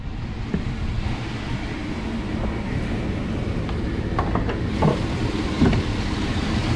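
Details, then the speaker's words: 2500 Suburban V8 idling low with the whole truck shaking: lumpy rumble with uneven stumbles. Owner suspects the alternator. Flashing check engine light follows, with codes P0174, P0300 and P0622: rough idle with misfire. "shaking I mean it doesn't really sound bad it just seems like it's running really rough"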